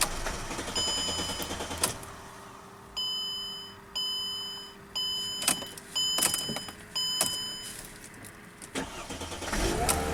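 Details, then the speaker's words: Mercedes car with no-start caused by a missing 20 amp fuse feeding the fuel pump relay, after fitting the fuse: dash chimes, short crank, catches quickly and settles into a steady even run; normal start and idle. "Woo! Hooray! Fixed. This is easier than a motorhome."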